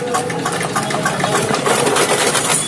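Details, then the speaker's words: Dongfeng single-cylinder diesel after cylinder head gasket replacement, hand-cranked start after bleeding fuel: steady, even chug with regular firing and no misses or knocks; running smoothly. "Nah, oke, sudah hidup guys, sekian dos."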